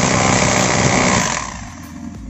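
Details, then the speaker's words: Bosch GBH 2-26 DRE SDS rotary hammer in concrete/chisel mode lacking power: busy rattle without hard distinct impacts, then tails off; weak hammer action, slow to crack concrete, before opening front for repair. "maintenant vous pouvez voir par vous-même les résultats comme ça le coup de pied de la perceuse ne donne pas de coup de pied et il faudra plus de temps pour que le processus fissure le béton,"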